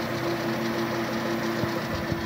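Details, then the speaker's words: Toyota Vios dual VVT-i with battery warning light and hard starting, alternator carbon brush just repaired; at idle with A/C on, steady hum carrying a faint constant whirring from the A/C compressor pulley, which is noisy and to be replaced. "Y gumana dami palang problema nito idol compressor pole yan compressor pole palitan natin alternator hard starting"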